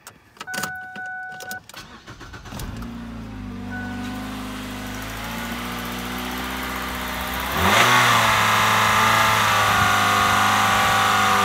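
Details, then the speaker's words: Ford Fusion with a chirp, rev knock, and codes P2004/P2008 for the intake manifold runner solenoids, restarted after the serpentine belt was taken off for checking: the engine settles to an even idle and revs cleanly with no knock. Normal running. "[Applause] [Music] so there's no knocking sound so yep"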